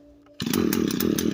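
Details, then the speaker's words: Echo SRM 225 two-stroke trimmer with broken choke that wouldn't start: fires and buzzes but the note wavers and sags in pulses instead of holding revs; engine bogging after start, cause not yet found. "so it starts, but apparently it bogs down. So yeah, guys, as you can see, it bogs down."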